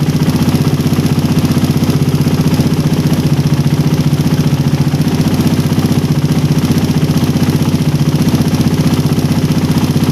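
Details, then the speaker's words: Engine with a PE28 carburettor (swapped in for a PWK 28) at low idle, air screw set by the idle method to 2.5 turns out: a steady, regular beat of about four pulses a second with no hunting or stumbling, so the mixture is well set. "Nah tadi udah dapat settingan RPM paling stabil. Sekarang kita cek berapa putaran dapatnya ya."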